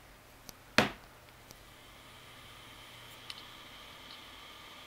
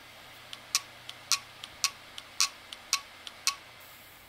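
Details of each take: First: WD1600JB 160 GB hard drive with clicking heads, after swapping in identical donor electronics board: faint steady platter hum, no head clicks; normal spin-up, though capacity and model not detected. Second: WD1600JB 160 GB hard drive on power-up: sharp dry head clicks in alternating loud-soft pairs about four a second; heads or electronics suspected, electronics board swap planned.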